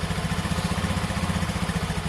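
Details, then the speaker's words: Kawasaki ER5, 548 shown on the clock, first start on a hooked-up battery: steady, even idle about eight beats a second with no knocks or misfires; sounds healthy. "that's the first i've heard it guys um at first glance it sounds healthy enough"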